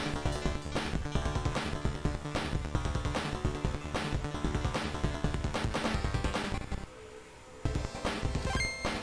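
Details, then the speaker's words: NEC PC Engine Core Grafx II console after recapping: clean, punchy game music with crisp beats and no crackle, hum or distortion, immediately better than the terrible sound before repair; audio output now normal. "Yeah, that's immediately better. Like, come on. Night and day. Yeah, perfect."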